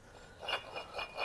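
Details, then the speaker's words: Ferrari 308 water pump removed and turned by hand gives light, rough metallic clicks from a worn bearing; the end was knackered, the drive belt had snapped, causing belt squeal and overheating. "gosh yeah now that is metallicy noise that's a metallic noise"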